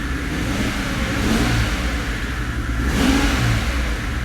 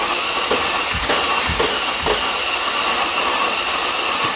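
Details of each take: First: 2005 Mercedes CL65 AMG twin-turbo V12, first start after a 50-hour engine rebuild, no coolant: lumpy, uneven, shaky beat when blipped, smelling fuelly and very rich; the engine is misfiring, and the owner wonders whether one bank isn't firing. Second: 2005 Mercedes CL65 AMG twin-turbo V12, third crank after a 50-hour engine rebuild with a brand-new tensioner, fuse pulled to prime oiling: the starter whirs steadily with even compression thumps about twice a second and no firing, so cranking is normal.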